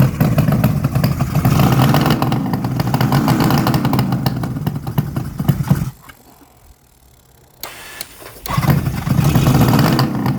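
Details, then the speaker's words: 1972 Suzuki GT750J Le Mans two-stroke water-cooled triple, 35k miles, cold start on choke after days sitting: rough loud idle with raspy puffing, briefly dropping out; exhaust leaking where crossover pipe has come out. "if you can see the crossover looks like it's actually come out right there which is probably most of the noise"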